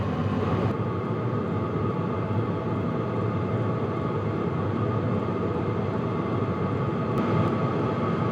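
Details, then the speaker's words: HCalory Toolbox Max diesel heater cranked to setting 10 of 10, outlet too hot to hold a hand on; steady even fan roar with low exhaust rumble and no fuel pump ticking; normal running. "So as you can hear, there's no ticking, and it is cranked up to 10 right now."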